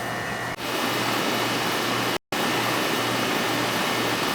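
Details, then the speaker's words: Ruud first-floor AC condenser after replacing a bad capacitor and the blown-off compressor common wire: steady even hum with fan rush and faint low drone, no clatter or buzzing; lines cold and sweating, charge fine; normal compressor running. "Just started it. So we had a bad capacitor. And that common wire to the compressor blew off bad."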